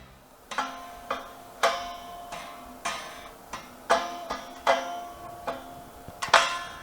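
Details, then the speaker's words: Ibanez RG970 with a Zero Edge tremolo and four springs: sharp plucked notes and strummed chords are followed by a lingering metallic hum from the tremolo springs ringing. "So, it's quite noisy. You hear the springs ringing a lot."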